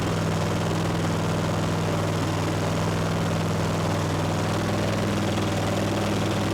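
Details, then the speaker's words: Ariens mower with Kawasaki FR691V V-twin left running about five minutes to heat the oil before an oil change, after a fuel filter change. Smooth, even low drone with no misses or knocks: normal running. "i'm going to get the door open and let this run for about five minutes so we can get the oil heated up real good"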